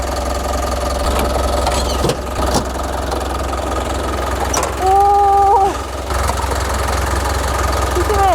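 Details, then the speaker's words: 2010 Hyundai e-Mighty diesel truck, 349,000 km, idling with cab open: steady, even low idle beat with no knocking or misses; normal, seller sees no oil spray or smoke and judges no boring needed. "자, 엔진 소리는 이 마이티 엔진 소리 굉장히 좋은 겁니다. 지금 이 소리 자체가 좋고요."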